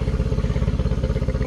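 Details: 2013 Yamaha 9.9 four-stroke outboard on garden-hose flush after rough-running diagnosis: quick even putter about fifteen pulses a second, no misses or stumbles; smooth healthy idle, possibly a smidge fast.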